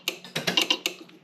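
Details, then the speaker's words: 1972 Pontiac Ventura Sprint barn-find project, key out: sharp dry clicks chatter in quick uneven bursts as the horn relay/solenoid switches by itself when the steering wheel is touched; owner suspects a broken ground inside the steering wheel. "it's the horn solenoid going crazy"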